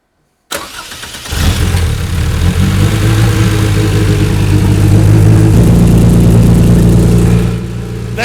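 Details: Toyota 2.7L 1AR-FE in MR2 Spyder, 280-degree cams, on Haltech Elite 1500 ECU after fixing 360-degree sync offset: starter catches within a second, then smooth even steady fast idle with no misses; normal idle, fully synchronized.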